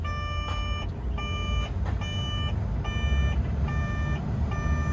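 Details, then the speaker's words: Develon DX140LC-5 excavator after fitting a new control module: repeated high beeps about every 0.8 s over low diesel rumble; faults remain as the new module is unprogrammed and not communicating with the ECU. "no still got problems all right we'll reconnect the laptop and see what it's saying"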